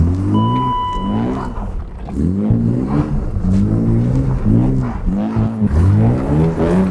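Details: BMW E32 730i on a winter test drive after fixing a rough start/rough idle. Engine pulls cleanly through rising and falling revs with no misfire or stumble. Smooth running, finally fixed.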